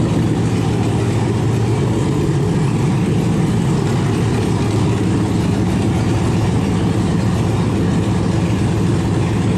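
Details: LS-swapped 1971 Impala, first run after low block voltage while cranking was cured with a jump pack grounded to the block; has oil pressure: deep, steady V8 idle with an even low rumble, no misses, knocks or ticks. Runs cleanly.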